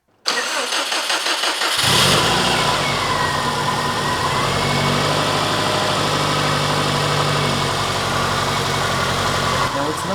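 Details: Subaru GC with a newly built turbo engine on its first start, after fluids were filled and temporary radiator-fan wiring was fitted: it cranks briefly, catches, then settles into an uneven, lumpy idle with an unsteady beat. The cause is not yet found.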